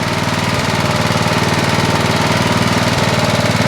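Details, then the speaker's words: Vintage Honda HR214 lawn mower that burns oil, idling possibly too high: loose, regular rattle about four knocks a second over the exhaust beat, plus clacking at shutdown; owner suspects a destroyed bottom end, unconfirmed. "I think maybe the bottom end is uh is done it's uh it's destroyed inside because it it keeps burning oil not as much now as it did and it starts up now but it has a rattle to it"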